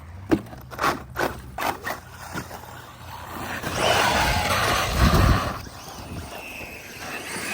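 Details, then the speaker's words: Traxxas Maxx Slash fitted with M2C parts: whirring bursts on throttle, then a rough rasping grind that only happens under power. Traced to the rear differential, which seems gone. "Yeah, I don't know what that noise is. There it is, rear diff. At least we know what it is now."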